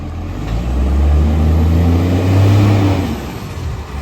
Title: 1209 massive exhaust leak #automobile #garbagetruck #garbagecollection #garbagebody